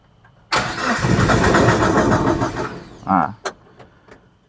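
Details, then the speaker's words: Suzuki APV / Mega Carry, just brought in unable to run: about two seconds of steady starter cranking, engine briefly catches then dies and goes quiet. "kita coba start a dia hidup terus dia mati Nah ini kan Coba lagi ya"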